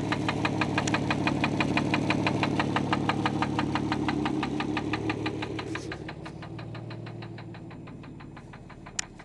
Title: Infiniti J30t 3.0 Rod Knock